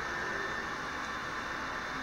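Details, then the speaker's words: PS4 console fan, louder than the owner's PC, owner unsure why: steady airy whir with a faint high whistle and no variation; loud fan noise, cause unconfirmed. "sorry about my PS4 I'm not sure why it makes too much I mean not even my PC makes much noise"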